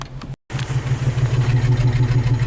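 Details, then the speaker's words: Isuzu Rodeo after a half-hour test drive up a mountain, warmed up: the idle pulses unevenly with a regular stumble several times a second. Cylinder 4 misfire code. "its misfiring right now and we have a cylinder for misfire detected okay good so something really warmed up I guess during like a half-hour test drive"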